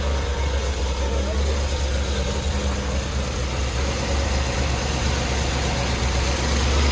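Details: C7 Corvette Z06 V8 after Hennessey 850HP install (heads, cam, exhaust, intake, catch can), first start-up: loud steady low rumble with slight uneven lope, settling evenly; running normally.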